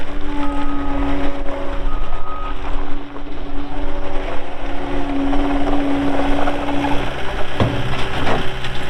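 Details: 2020 Caterpillar 259D3 skid steer loader, 1,484 hours, reversing; clear repeating beeps, about a second on and a short gap off, over the engine drone; reverse alarm working normally.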